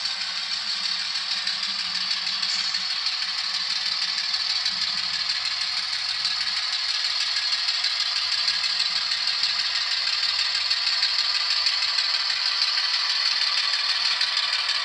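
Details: Model locomotive that stalled mid-crossover because unpowered frog spacing matched its wheelbase; after fix, steady fine rattle about three clicks a second over even whir, no stall or dropout; running normally.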